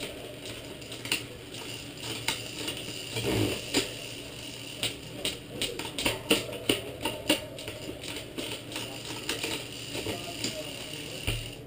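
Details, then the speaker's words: Shimano rear derailleur: dry ticking and rattling through the gears because the B-tension is wrong. The guide pulley sits too close to the cassette; it should be 5–6 mm away, so the B-tension screw needs pushing out. "the noise that you heard was the B tensioning the B tension that controls the distance between the trailer pulley and the cassette proper distance is about five to six millimeters"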